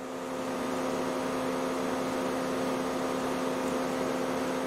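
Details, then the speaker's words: 2008 Mercedes W204 C180 Kompressor at idle after start: loud constant whooshing fan drone that never cycles down, fault code B10 7A15, refrigerant pressure reading abnormally high; cooling fan stuck on high from faulty refrigerant pressure sensor. "that's why i get the full code um that i was getting if it's called here refrigerant pressure sensor and also the fan is running really loud obviously"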